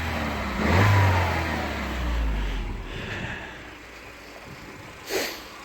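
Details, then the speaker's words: Car that started slowly from cold, with a suspected oil-pressure-related timing chain issue: once oil pressure builds, the engine blips up cleanly under more acceleration with no rattle or knock; normal revving. "oh it sounds absolutely fine doesn't it yeah see if it rattles at all with a bit more acceleration sounds healthy as now doesn't it"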